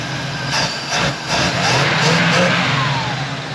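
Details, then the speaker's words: Field-find Pontiac Firebird Formula carbureted V8, revived after 21+ years sitting with fresh plugs, idling a little high with linkages fixed, warming up: picks up cleanly on repeated throttle blips without stumble, burning junk out of the exhaust. "definitely burning some junk out of that exhausted back over here it's taken some throttle though"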